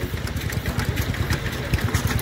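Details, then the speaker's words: Arm and Co. 4 hp hit-and-miss stationary engine at a rally: slow, heavy thumps at a steady beat as the single cylinder fires and coasts; normal hit-and-miss running. "she goes. There she goes. Just love every time they fire."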